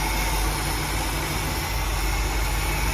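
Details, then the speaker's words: 1957 Buick Roadmaster 75 Nailhead V8 at its first startup during cam break-in, air cleaner off: an even, steady low idle rumble with open-intake roar. An earlier driver's-side miss has smoothed out, with no shake and no exhaust leaks, so the idle is normal. "Idle sounds good. I was getting I think a little bit of a miss on the driver's side before, but I think we're in good shape now. Everything kind of smoothed out. There's no shake."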